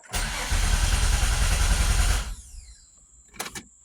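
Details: Nissan Altima race car after reconnecting battery and a connector: starter churns at a steady rhythm for about two seconds then quits, with no catch or firing at all.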